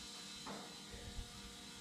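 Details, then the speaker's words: Audi Quattro 4000S, engine not running: thin steady electric buzz at one pitch as the fuel pump runs and drains into a bucket; no fuel was reaching the injectors, owner suspects a bad relay. "Okay. Now you hear a fuel pump, of which now I have draining into that fuel bucket."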